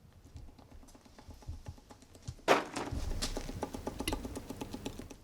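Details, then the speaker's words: Audi B8 A4 2.0T engine disassembled: the cylinder 3 connecting rod is rocked by hand, giving sharp metal clacks from a rod bearing with a chunk missing, which caused the rod knock; the other rod bearings were fine. "that's what was causing the rod knock. Bearing went bad."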